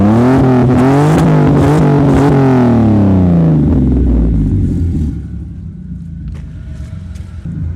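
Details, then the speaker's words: Alfa Romeo engine with known issues: revs rise and fall in a few blips, then drop to a lumpy, unsteady idle that won't settle; rough idle. "as I hope you can hear it doesn't necessarily idle well there we go it gives you false hope it gives you a lot of false hope"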